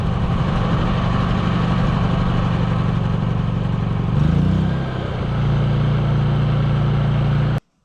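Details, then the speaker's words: Honda EU3000 generator after pull cord repair, carb cleaning and new battery, running after cold and warm starts: steady low even hum, brief dip as speed adjusts, then smooth settled idle before shutdown. Normal idle. "Alright, well this thing seems to be running good now, so let's put it back away till next winter."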